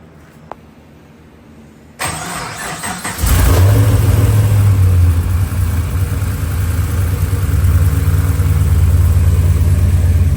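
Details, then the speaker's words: Toyota FR-S (Scion FRS) with LS3 V8 swap, after converting to a hydraulic power steering rack and fitting a longer belt: cranks, catches and settles into a deep, even idle with no ticking or puffing; earlier power-steering noise hopefully gone. "hopefully all that noise that you heard in the previously, whenever we were messing with the power steering, hopefully all that's gone, and it sounds like a normal car again."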